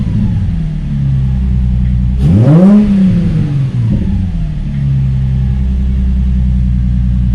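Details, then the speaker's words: Nissan 350Z/G35 VQ35DE after idler pulley delete with new main belt fitted: quick rev blip falls back to steady idle with no squeal or chirp, healthy belt drive. "Okay. Give it a couple revs just to make sure it don't squeak."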